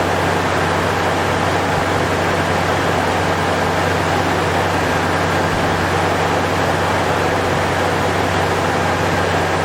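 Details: Toyota 3.4 first start after timing belt and water pump replacement, battery reconnected and oil checked: steady even low hum, no knocks, ticks or misses; smooth healthy idle.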